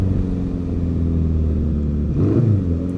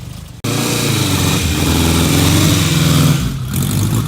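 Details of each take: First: 1955 Ariel Square Four being ridden with a known stumble or misfire: the deep note pulls up steadily as the throttle opens and smooths out as the engine "clears its throat", then goes really well. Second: 1955 Ariel Square Four (SQ4) motorcycle, still ridden by its 89-year-old owner: fires up at once, revs cleanly, then settles to a fairly even idle with no obvious knocks; normal idle, though a slight stumble/misfire is noted when ridden.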